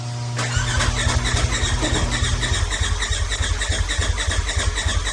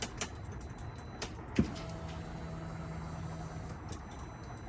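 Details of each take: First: Turbo S UTV with big turbo, head studs and new injectors, after a tune update: steady starter cranking about three and a half beats a second, never fires; owner suspects fuel pump wired backwards and wrong injector scaling. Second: Turbo S buggy with big turbo, new injectors and head studs, after fixing no-start issue: click then quiet steady hum for about two seconds; fuel pump now priming normally.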